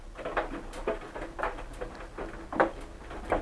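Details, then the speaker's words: Hotpoint NSWM 1043C washing machine, free street find, mid-wash: soft irregular ticks and creaks about twice a second over a quiet drum, heard from the upper side; source unclear, owner considering chassis reinforcement plates. "you can hear it creaking and Ticking sounds like it's coming from up here sounds like it's coming from up there"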